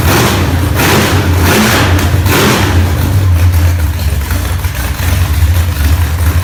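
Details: Freshly built low-buck 454 big-block from a stock short-block with a thumper flat-tappet cam, broken in earlier that day. Deep, choppy, loping idle with quick throttle blips that pull cleanly. Normal revving with an aggressive cam.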